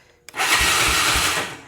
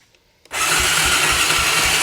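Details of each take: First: 2004 Honda Recon 250 ES quad, starter solenoid jumped directly because the handlebar switch is faulty: short burst of fast, even starter whir with steady low pulses, no binding or clunk; the engine turns over freely, not seized. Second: 2004 Honda Recon 250 ES quad cranking during a compression test, throttle stuck so not held wide open: starter whirs steadily with soft, even pulses and little resistance; low compression of 65, rising to 76 after adding oil.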